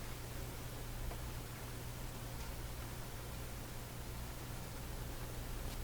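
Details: National HRO receiver, serial 124B, tuning through the crystal frequency with phasing set to five: flat even hiss over low hum with no tone rising while tuning; no crystal filter response heard.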